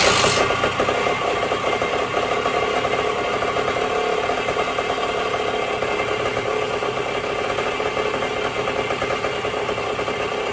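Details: 1974 Indian SE74 dirt bike, Minarelli P4-70 two-stroke, after 30 years sitting, carburetor rebuild, magneto key, points, oil; idle screw turned out to lower rpm; steady, slightly rough buzzing idle holding on its own; running fine.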